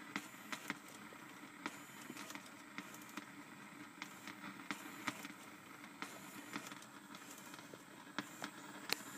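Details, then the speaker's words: Mach 460 six-disc CD changer after a jammed disc was cleared: it initializes, then gives quiet light ticks and clicks while counting its discs. Before the fix it thought six CDs were loaded with one inside; now it works normally. "I think what it's basically doing is counting the CDs because before it thought I had six CDs in there when I only had one and there she goes I got her working"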